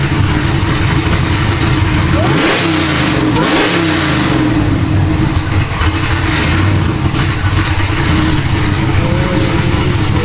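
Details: Supercharged LSA 6.0 V8 Silverado build (about 700 hp) on first start, with a mock-up intake: deep even idle rises cleanly through two quick revs and settles back with no knocks or misses. A healthy engine.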